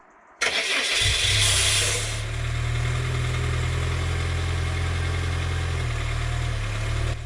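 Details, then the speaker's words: Citroen Saxo on a very cold day, restarted after stalling: it catches with a loud, harsh grinding rasp for about two seconds, then settles to a steady idle. The grind happens only when very cold; cause unclear. "when I turn it back on in a second you'll hear it makes a really strange and Loud grinding noise I hope that isn't a sign for things to come but it was a very cold day and it's only done this when it's been very very cold"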